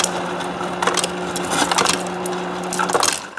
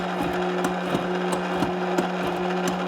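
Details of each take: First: Kenmore refrigerator ice maker after clearing ice buildup and reseating the ice container flat on its platform: steady motor hum with rapid clattering of ice dropping into a cup, then quiet; normal dispensing. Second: Kenmore refrigerator ice dispenser: steady motor hum with irregular clicks but no ice falling into the cup; ice buildup was later found in the ice container area.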